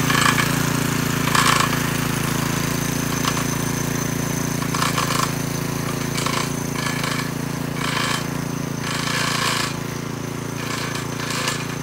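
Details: McClane 3.5hp edger with Briggs & Stratton engine, revived after years sitting with a carburetor tune-up, oil change and fresh fuel, started cold. A steady drone with gritty scraping bursts as the blade bites turf. Runs evenly under load and cuts a nice line.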